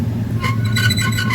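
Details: Honda Vario 125 rear wheel, engine still hot: a steady low rumbling hum with a faint rough, scratchy edge as the wheel turns. The cause is a worn, loose swing arm bearing giving rough rotation and vibration.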